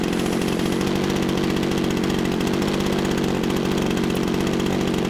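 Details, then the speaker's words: Fast even firing pulses at constant speed, a smooth steady buzz with no misses or surging, from a model Spitfire engine warming up after first start of the day, swinging a Menz 20x11 propeller with large blade area; normal idle. "got a fairly coost problem on of this model it's a men's 20x 11 it's got quite a lot of chunk of Blade area on them"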